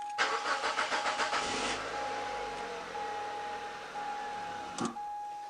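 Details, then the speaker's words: Mazda 626 petrol with an intermittent no-start, started on starting fluid with the throttle held open: quick cranking puffs catch into a brief run that then cuts out, pointing to a fuel issue; fuel pump suspected. "so there was enough Arrow start to let it run for a little while and then you notice that it cut out so of course it's a fuel issue"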